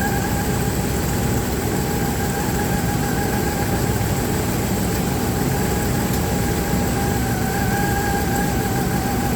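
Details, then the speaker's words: Dodge Ram 1500, believed 3.6 V6, idling: rough lumpy beat from a cylinder misfire, checked by pulling plug wires to listen for arcing taps. "When it's misfiring, you pull the wire, then it should hear like a tap, tap, tap, and it should be pretty loud because that's what you hear arcing from the ignition wire to the spark plug to the closest ground."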